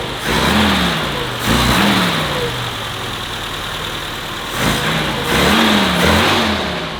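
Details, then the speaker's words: Vintage BMW 2002, carbureted, after fixing a misfire: clean, crisp rev blips from slightly high idle, no misfire or stumble, no longer lagging as before; running healthy. "Dude, that's perfect. It's a bit high, but that's really good. Oh, that's a good sign. That's a good sign. It's not lagging as much. No, it's not lagging at all like it did before."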